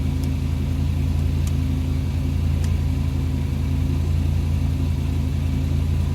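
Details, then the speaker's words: International C Series Travelette truck turning over for the first time after its points were cleaned: a low, uneven rumble with a limping gallop about three times a second; uneven cranking, cause not confirmed. "that's the first time I've heard this thing turn over got a little bit of gallop in her hopefully we can remedy that"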